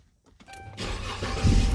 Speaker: Start it up with no problem again, baby.